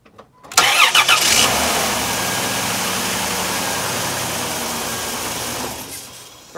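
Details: 2002 Chrysler Town and Country with an intermittent no-crank. After cleaning the power feed where it enters the fuse box, a brief crank catches at once and settles into a steady, even idle; it starts cleanly on the first try.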